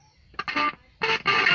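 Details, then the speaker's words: CRT TV sound after bypassing the overheating audio IC with a new line: guitar music plays cleanly with no crackle, hum or muffling. "তো এই মাইকের লাইনটা খুলে দিলাম, খুলে দিয়ে এটার থেকে যে মাইকের লাইন দিছি, দেখুন এতে কি সুন্দর ক্লিয়ার।"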